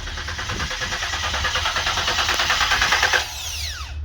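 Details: 2014 Ford Taurus cranks but does not start: starter churns about three beats a second with no firing; ignition pulse present, injectors next.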